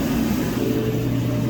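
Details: Whirlpool-family Bravos-style dryer, after a thermal fuse replacement fixed a no-start: steady, even low hum and drum rumble with no squeal, thump or scrape, running normally.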